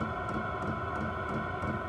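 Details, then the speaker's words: Chinese 12 V diesel air heater in a woodshop, running 24 minutes and near full temperature, about 25°C inside with about 65°F outside. Steady fan hum with faint regular ticks about three a second from the dosing pump. Normal running. "it's pretty much up to full temperature you can hear the uh dose pump running and"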